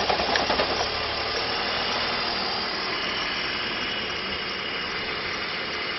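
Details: BMW E46 330Ci inline-six at idle with the oil filler cap removed: a busy, fast ticking chatter rides over the engine; the cause is not determined.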